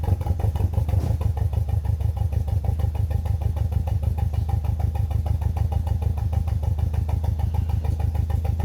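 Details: BMW E46 318i N42B20 engine idling with a choppy, uneven pulse about three beats a second; engine misfire.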